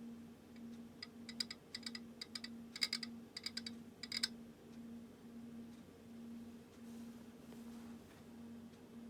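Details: Ampex VPR-3 VTR AST head drum turned slowly by hand: bursts of sharp dry mechanical clicks with no resistance or friction and no loose debris; cause unknown, and it may be normal.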